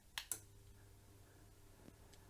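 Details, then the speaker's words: Repaired Valor flame-effect convection fire with control board once called obsolete and unrepairable, switched on from an extension lead: two switch clicks, then soft steady fan hum; fans, coals and flame effect working normally. "Well, it looks like the fans are working. All the coals are lit up there and we've got a little flame effect going."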